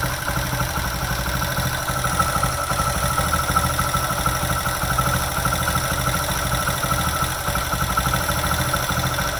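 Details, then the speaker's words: Bike after the loose plate on the magneto side was fixed with glue and the magneto retightened: steady even idle with light regular ticking from the top end, no rattle left; normal tappet noise. "Bike start है और यह cut काटा की जो आवाज ए रही है वो टीपी की आवाज ए रही है"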